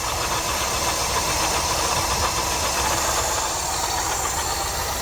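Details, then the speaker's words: Subaru BRAT petrol engine idling shortly after start, choke opening, carburetor running not quite right; steady gritty whirring rattle from a worn alternator bearing, alternator to be replaced. "the bearing in the alternator we have an alternator to put on it"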